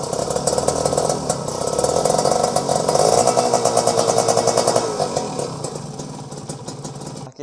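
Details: Kawasaki Ninja RR two-stroke after changing clutch/transmission oil unchanged for over a year: crisp buzz holding steady idle then slowly fading while new oil circulates, no misfires or rattles; normal idle.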